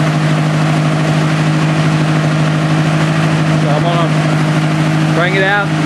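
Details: 1964 Ford 4000 tractor with a carburetor fitted in 2010 and 91 hours on the tach, started cold with a little choke: a low, steady putter with an even beat, no stumbles or knocking. It is a clean, normal idle.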